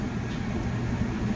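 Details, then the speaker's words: Vulcan twin convection oven, the intermittently working unit, turned on at 150. Steady low hum and airy rumble, no knocks or scraping, hot air felt: blower running normally (a switch looks baked). "Oo, I can feel the hot air. So, yeah, it's turning on. So, I already know that's working."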